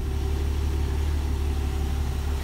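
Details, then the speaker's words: A budget squad car's carbureted engine, on its first start in over a decade after fresh oil, topped fluids and a quick-start carb prime, settles into a steady, quiet, even idle with no knocks or misses and is left to warm up. "the springs are a little weak but she is she's actually pretty quiet so we're gonna let that warm up"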